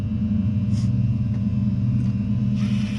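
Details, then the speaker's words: 2018 Jaguar F-Type, fire-damaged rebuild, wheel off: electronic parking brake caliper motor hotwired to release, steady low even hum as rotor starts to move; motor operating normally. "so you hear that noise in there should be releasing okay I'm starting to feel the rotor move H there it goes so now that's how you release the electronic brake"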